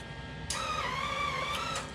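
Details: Harbor Freight Flux 125 flux-core welder, gun aimed at the floor with trigger pulled: steady mid-pitched feeder motor whir starting suddenly and running evenly, wire pushed out and bending, drive roll tension good.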